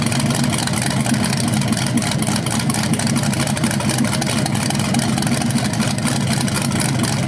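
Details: BluePrint 396 big-block crate engine for a 1970 Camaro SS, first outdoor run after oil priming and a timing check: even beat, steady low rumble throughout; running cleanly and healthy, no leaks seen.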